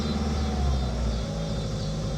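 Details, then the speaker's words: 1985 Honda Accord with 62K miles, long stored, first running after finding a blown 65 A fusible link: low, lumpy rumble with an uneven beat at idle; rough running. "there you go there you go she may not be very happy but she's running"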